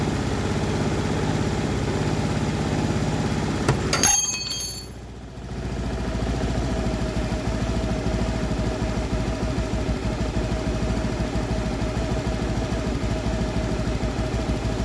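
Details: Motorcycle idling after the cylinder head was opened and valve clearance adjusted to cure a harsh rattling from the head: steady even beat, no ticking from the head, valve train quiet; normal idle.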